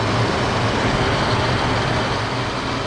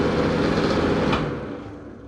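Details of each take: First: before we put the cover on we can test it oh yeah that's much better Second: hey everybody welcome back to the channel today i'm going to be replacing that obnoxiously loud ceiling fan in my downstairs bathroom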